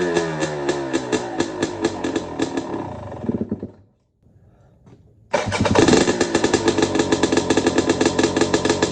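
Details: Two-stroke bike with the muffler packing removed: sharp, crackly firing with every stroke separate. It cuts out briefly, then restarts evenly. Healthy engine, just very loud since unpacking.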